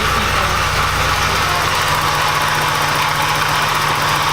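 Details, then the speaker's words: Porsche 944 after an engine swap, with the gasket now fixed: even, steady idle with no stumble; it no longer sounds like it is running on three cylinders. "that sounds a lot better since we fix the gasket doesn't sound like it's running on three cylinders anymore"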